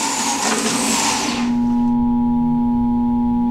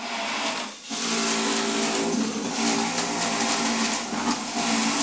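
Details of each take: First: Juicer motor stalls while juicing: the grinding cuts out and leaves a steady electrical hum or buzz. The likely cause is excessive force or feeding produce too fast, or fiber built up inside an uncleaned cover. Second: Juicer motor running under load: steady whir with grinding hiss as produce feeds through, speed holding without dragging, humming or stalling.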